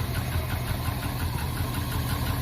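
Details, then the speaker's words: 1971 Ford F100 V8 after replacing a clicking part and fixing a fuel system leak. Deep, even idle with a steady low rumble and no misses or knocks; all cylinders firing. Normal idle. "Not bad."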